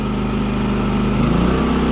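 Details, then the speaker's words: Champion 3400 inverter generator after carb cleaning and repair, switched to auto/eco throttle: smooth, even hum settling to a slightly lower steady speed, no smoke; healthy economy idle. "Wow it runs really nice look at that sounds very good it doesn't smoke at all either"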